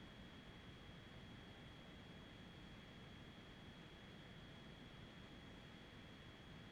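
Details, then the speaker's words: Belkin UltraCharge Pro Qi2 charger charging an iPhone 17 Pro, mic directly at back of cooling fan; fan throttles up with temperature and charge rate from medium to high: steady thin high-pitched whine over airy rush at top speed. "It just throttled up. It's on medium, or what I perceive to be medium. And it just throttled up again to"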